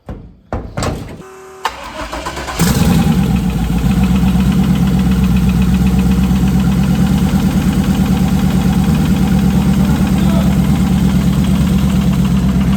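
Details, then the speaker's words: Pontiac Parisienne, very high mileage burnout car: cranks and catches, then idles with a steady heavy hammering about three times a second; internal knock, cause unknown, appeared unexpectedly after last competition. "She's hammering. So, let me get this shut off. She's hammering pretty good."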